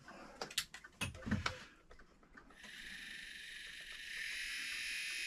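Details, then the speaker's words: USA Trains F7 locomotive motor block, removed and bench-powered through the outside leads during maintenance: after handling clatter, a smooth, even high whir swells slightly and holds steady, a healthy motor before its bearing surfaces are oiled. "it's a pretty nice sound. All right. Now, you can hear that's fairly nice."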